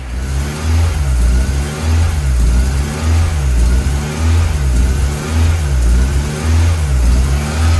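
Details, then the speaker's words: Ford Orion with a 2.0 Duratec ST170 engine conversion, first start after long cranking: lumpy running with revs hunting about once a second. Intake manifold vacuum leak, because the head face tilts at the top so the inlet won't seal; planned fix is to remove and file it. "getting it running and uh you'll be able to he there a bit of a vacuum"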